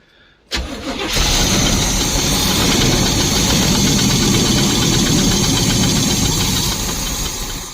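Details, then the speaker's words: 1972 Barth motorhome petrol engine, first run in 15 years, electric fuel pump, new fuel filter and clamps: short crank, catches, runs rough and uneven at fast idle; owner suspects the fuel hose isn't supplying enough fuel. "this fuel hose is so weird too this thing probably does not push enough fuel in here"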